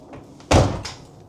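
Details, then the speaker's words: Bentley after the roof lining repair and a total electrical loss; with the battery terminals tightened and the flat battery showing 12 volts, one crisp solid clunk as the locks engage: normal central locking operation. "Oh, yeah. It locks. Look, it just locked. And it just unlocked."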